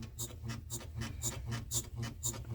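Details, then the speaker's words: Right leaf spring creaks rhythmically about every half second as the suspension works, duller and less squeaky than the first; a dry spring. A subscriber's vehicle with over 200,000 km had the same all-summer creak, and lubrication cured it. "Так что это у многих оказывается такая проблема надо г права ресора тоже скрипит только она немного по-другому не так"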